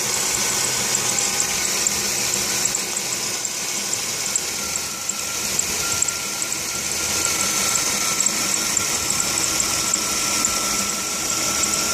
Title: Chrysler Concorde belt squeal